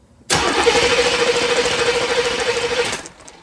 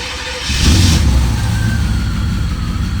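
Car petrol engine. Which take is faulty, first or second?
first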